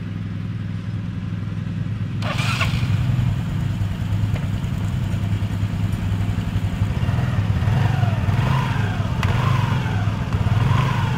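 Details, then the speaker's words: Yamaha Mio scooter after CVT repair, previously groaning "krok krok" on pull-away: starts and idles with an even low hum, lightly blipped, no rough drive noise; fairly smooth CVT operation. "Lumayan halus."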